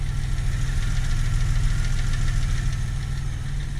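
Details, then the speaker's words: 2000 Camaro 3.8L V6 after engine reinstall, idling with uneven light tapping three to four per second; goes away at high rpm, oil pressure good, not valve train by ear; owner suspects damaged front crank pulley area. "I don't hear it coming from the top of the engine I don't hear it coming from the bottom of the engine it's not coming from the transmission it definitely sounds like the front in the pulley section"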